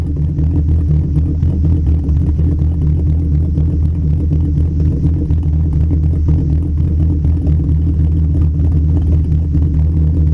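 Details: Mk2 VW 12v VR6 drag car, 276 cams, Mk4 head gasket, titanium retainers, ARP rod bolts and head studs, ported manifolds, 2-to-3-inch Cerakoted exhaust: heavy low rumble with choppy loping idle, no knocking or rattles; normal lumpy cam idle.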